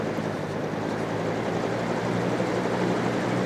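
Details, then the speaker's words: Trash-day fan after repairing a dog-chewed cord, run once it dried out from being sprayed: steady, even rush of air over a constant low motor hum, no rattle, tick or scrape; it works fine. "medium low high fan works just fine"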